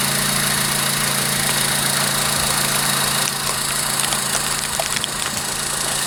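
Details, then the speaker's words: 2001-2005 Honda Civic idling after a DIY spark plug change: a steady, even idle with a low smooth hum, no knocks or misses, and only the mild vibration typical of these engines; running healthy. "It's barely vibrating. That's typical with these engines. So you're gonna have a little bit of vibration from these engines, but not a lot."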